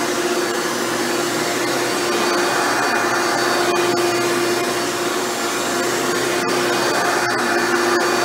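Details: Hoover Elite upright vacuum test run after motor rebuild with new motor bearings: steady even high-pitched whine, no rumble or grinding; runs much better than when acquired.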